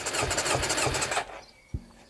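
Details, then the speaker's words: 70hp kart engine, compression test while cranking, suspect cylinder 3: even starter cranking about three beats per second, then stops; cylinder 3 compression fine, cylinders 1 and 2 9-11 bar. "donc le civ art qui fait chier c'est le 3 et sa compression est nickel donc ça me rassure"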